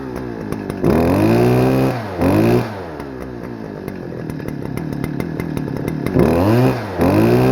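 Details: Stihl FS-250R two-stroke trimmer, long stored with old gas, carb diaphragm hardened, before rebuild, cold rainy day: revs rise and sag in short bursts, bogs between blips, never a clean high note, smoking, running rich; poor revving.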